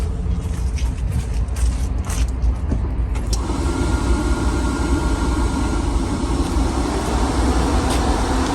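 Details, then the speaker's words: VW Mk1 Golf/Cabriolet G60 2.0 16v, cooling fan rewired to bypass the temperature switch and run off the headlight circuit: engine running, then a steady whooshing hum cuts in as the electric radiator fan starts and holds. "fan's running now that the headlights are on so that'll at least get us home"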